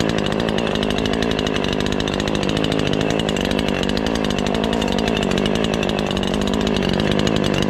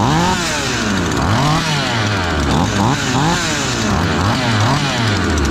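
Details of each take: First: Ported Husqvarna 543XP chainsaw, first cuts after porting, chain a bit tight. It buzzes in the cut with a burbling, uneven rasp: way rich and still four-stroking under load, so the main/high-speed jet needs leaning. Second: Ported Husqvarna 543XP and Cologne 843 chainsaws, fresh, needing break-in: two saws burbling unevenly with loose, blubbery four-stroke break as revs wander; rich break-in tune, running fine.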